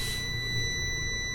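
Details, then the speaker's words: Prolink 700AC UPS, plugged into mains: steady high-pitched warning beeps over a low hum, the same whether switched off or on; battery has run low, likely no battery charge. "Battery ලෝ වැටිලා කී ගාලා සද්දයක් එනවා. Off කරත් on කරත් ඒ දේ එනවා."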